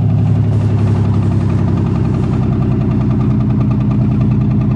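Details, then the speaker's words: Honda car cold winter start: lumpy, uneven idle with stumbling, skipping beat from a spark plug wire that had come off; misfire cured once reconnected. "sounds like a couple of cylinder wires came off better go [Music] look"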